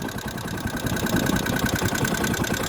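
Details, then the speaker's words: Kawasaki Rouser 135 that suddenly died, now running again: single-cylinder idles with busy clattery mechanical noise and a faint high ring; cracked manifold noticed. "Ayan tingnan niyo pakingan niyo yung andar yun Ayaw na hindi naka neutral ayan ayan oh maingay"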